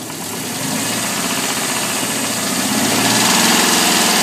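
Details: Alfa Romeo 145 1.6 boxer petrol engine idling with a light, steady, weird tick of about three beats a second over the running noise.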